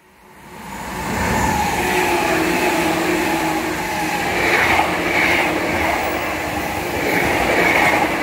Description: 後ろ11両(F-19編成)のフラット音がすごかった。